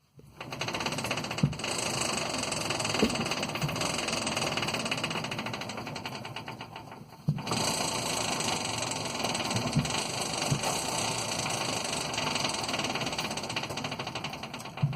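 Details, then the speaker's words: Quest velomobile with a new all-plastic Nazca power-side chain idler, brand new bearings and no O-rings, original KMC 9-speed chain; continuous rattly whir, high hiss and irregular clicks, very noisy. "But the teeth itself were fine, whereas this one, all plastic, brand new bearings. But it makes a heck of a noise."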